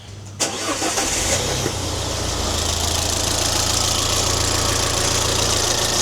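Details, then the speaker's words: Alfa Romeo Giulietta QV 1750 TBI after repairs, engine management light on: starts and idles under a harsh, steady, gritty rotational whirring above the exhaust note, belt tensioner still tight; owner suspects the turbo, manifold side, unconfirmed. "Okay, so something rotational, and I hate to say it, sounds like it's coming from inside."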